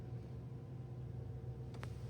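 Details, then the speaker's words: V12 Toyota Century after a ripped transmission mount was replaced, heard from inside the cabin: very quiet, smooth low hum with no rumble or clunking, just a couple of faint clicks; idling healthy. "This is driving very quietly, very smoothly. This is very nice. It's so quiet just sitting in here idling now."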